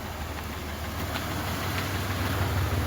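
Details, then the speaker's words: Chevrolet Monte Carlo idling after rod bearing repair, in single-digit cold: lumpy, uneven idle with a low beat around three per second, quieting with a little throttle; cause suspected, not confirmed. Rough idle. "it is out there idling let's go check it out it sounds rough maybe it just died oh there it is"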